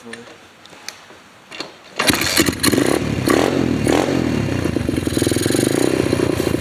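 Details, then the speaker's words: Apollo RFZ 125cc pit bike just fired up and held at low revs before the carburetor pilot screw fix: it stumbles and surges unevenly and can't settle to an idle. The owner suspects an intake spacer air leak. Rough low-rev running. "Right now we're just kind of diagnosing why this thing runs like crap in the low end, doesn't idle. I think it has an air leak at the intake spacer."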